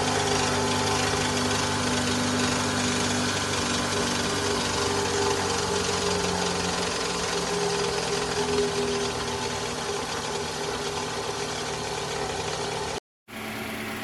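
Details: 2011 Toyota Vellfire ANH20 2AZ-FE engine before balance shaft replacement, rough especially when cold: steady idle with coarse droning growl, no clean knock; noise traced to the balance shaft, which was replaced.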